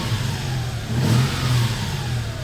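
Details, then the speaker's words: 2004 Toyota Tacoma 3.4 L V6 5VZ-FE revved with AC off after replacing the failed AC belt tensioner pulley, original belt kept: smooth, even rev that swells and settles with no whine, squeal or grinding; fixed and healthy. "And as you can hear, so-called power steering whine and that horror is gone, and we have a quiet engine again, right there. This is a V6 Tacoma exhaust sound, absolutely."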